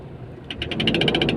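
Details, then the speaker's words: Toyota Innova Crysta at startup: sharp metallic ticking about twelve a second over the engine, rising with RPM, owner describes it as a gear noise; source not yet diagnosed. "और start करते ही इसमें gear में ना आवाज आती है इस type की यह आप सुन पा रहे होंगे"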